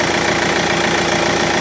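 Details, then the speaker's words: 2013 Kia Ceed 1.6 CRDi diesel after replacing the alternator freewheel clutch pulley: steady, even idle clatter with no grinding or squeal from the front of the engine, charging normally; healthy. "Okay. No weird noises and no problems. It's charging normally and"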